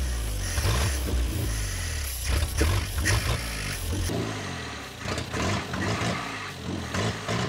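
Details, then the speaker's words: Ford Pinto abandoned 30 years, fuel pump drawing from a bottle; steady rhythmic cranking that never fires because fuel hasn't yet filled the carburettor bowl. Cranking no start, no fuel in carburettor. "it's sucking gas it is actually pulling it yeah but it's it's just not filled the Bowl yet yeah"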